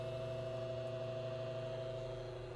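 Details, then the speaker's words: Early-1970s Hoover model 6710-12 12-inch two-speed oscillating table fan on low, drawing 0.89 A, steady electrical hum with buzz; loose winding coil in the stator, windings otherwise good. "buzzing, like I said, with that loose winding coil in there. That's what causes the buzz, but the windings themselves are still in good shape."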